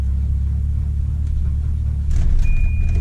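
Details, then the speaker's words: $200 Volvo red-block wagon with a clappy motor, cold start, heard from inside: a heavy uneven clatter over a low rough idle, far louder and sloppier than a red block should be. Rod knock or piston slap is unconfirmed. "Ooh, that's knocky here. Let's get outside and take a listen. If you're new to red blocks, this is actually a lot more sloppy than they're supposed to be. Yeah, so it's not supposed to be that loud."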